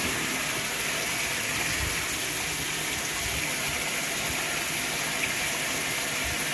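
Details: Whirlpool top-load washer filling on a small load with cold water: a steady, even hiss and rush of water with no surging or buzzing. The washer is filling normally.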